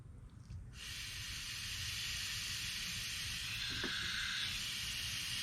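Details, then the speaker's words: Air hiss at the 1/4-inch quick connect between a localized regulator and shop air, at 20 psi, while setting up brake/clutch pressure bleeding caps on a Miata; steady sharp high hiss, quick connect likely leaking, bleeder cap itself not leaking. "well that's not a good sound sounds like my Quick Connect is leaking"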